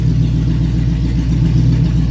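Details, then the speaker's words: Open-exhaust 350 small-block V8 with no exhaust fitted, just barely pressing the pedal, car being moved to the lift after a partial rear brake bleed. Loud, deep rumble rising and falling with light throttle blips, firing even and crisp; healthy. "It has no exhaust on it right now. But it is a mean 350 in this car. That's just barely pressing the pedal."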